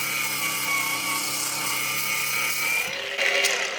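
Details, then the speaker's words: HEIMERDINGER LB183 cordless angle grinder on first speed; high, steady whirr with thin rough edge fading as it spools down: bearing noise. "Excellent. And then there's the bearing noise. Did you hear that?"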